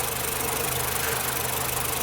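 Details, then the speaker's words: Nissan Platina with power loss, shaking at stops and backfiring through the exhaust: a steady idle with an occasional uneven beat. Intermittent misfire, traced by spark testing to a faulty ignition coil. "vamos a dejarlo así trabajando cada que como que se corta la corriente es cuando la botella se mueve más si se entiende que falle"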